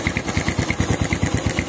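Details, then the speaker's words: PWK 35 carburetor with KRJ tuning (stock KRJ3 jet needle), which the owner says is oversized for slow daily riding and fouls spark plugs. Engine starts instantly and holds a steady idle with quick, even putts, no misses or hunting: normal idle. "Enak, Lur, ini hidupnya. Oke, ini starter langsung hidup."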